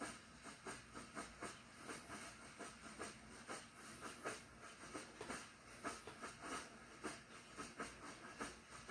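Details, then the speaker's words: Svea 123 backpack stove, fired up for the first time in 40 years; a quiet, thin hiss with faint irregular puffs instead of its usual loud buzz-bomb roar; owner suspects a clog somewhere. "It usually sounds like a buzz bomb when it's going off. Like, so I think it's got cloggage in there somewhere."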